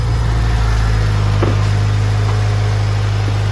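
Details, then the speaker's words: Honda Civic EG built from junkyard parts, after a clutch swap: smooth, even four-cylinder idle with a steady low rumble and no knocks or ticks; the engine sounds healthy. "see the um trans and clutch works all good which uh is a bit of a relief because I had to swap that clutch and stuff over and I'm so happy with how this thing sounds"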